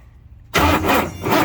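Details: 1967 Ford F100 shortbed 429 big block V8, on jump box, after sitting: starter spins engine with steady churning crank but it never fires; crank no start.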